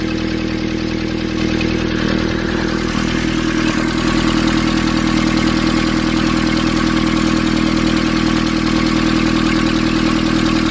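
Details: Nissan Urvan ZD30 diesel after its no-start was fixed by cleaning a black, dirt-clogged part: even diesel clatter at steady idle, regular beats with no misses or hunting; runs smoothly and sounds healthy.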